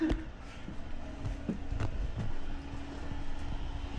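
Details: Planar Autoterm 2kW diesel heater newly installed in ambulance, first run after priming fuel system: quiet steady low roar with faint constant hum, no pops or surging, no smoke, burning evenly; normal running.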